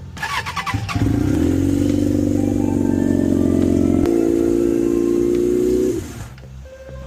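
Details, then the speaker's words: 1992 Suzuki Katana 750F after restoration work and a choke adjustment: thin, uneven idle note jumping in pitch midway; running on two cylinders, with cylinders two and three not firing. "Okay, it sounds like it's running on two cylinders."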